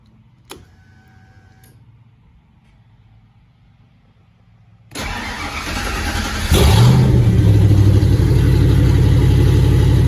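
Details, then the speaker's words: Factory Five MK2 Cobra roadster with Ford 302 5.0 V8, cold start after sitting since yesterday: quiet, then cranks and catches cleanly, rising to a strong even fast idle with no misfires, knocks or ticks, settling down. "all right here you go settling down a little bit this is about where it idle's"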